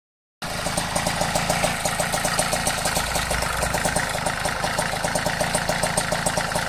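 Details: Vespa Ciao 43 Autisa two-stroke moped at idle: fast, light ticking about three or four a second, steady over the idle, disappearing when riding off; top-end tick, cause not pinned down.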